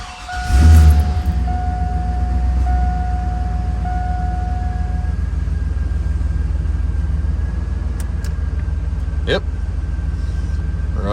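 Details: Engine started after fixed heater hose lines, reassembled valve covers and an oil change (six quarts with filter). Steady, even idle with a smooth low rumble and no knocks or misses; it runs as it should.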